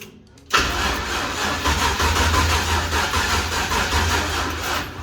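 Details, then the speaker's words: Toyota Toyoace without a dipstick, throwing oil from the dipstick hole, wiring and fuel recently sorted: a long cranking run that never catches, with the starter turning heavily and unevenly as the battery goes flat. "And now the battery's going flat. Excellent. I'm just trying the same thing over and over again at this point, hoping that something changes."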